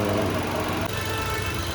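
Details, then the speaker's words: Nissan Micra, about 70k service done (rear shocks, drive belt, oil, brake pads), road test: smooth even engine hum with steady road noise, no shudder, knock or rattle; earlier slight vibration now gone, good pulling even with AC on; running normally. "വേറെ വൈബ്രേഷനോ കാര്യങ്ങളോ ഒന്നുമില്ല. പക്കയായിട്ട് തന്നെയാണ് run ആകുന്നത്."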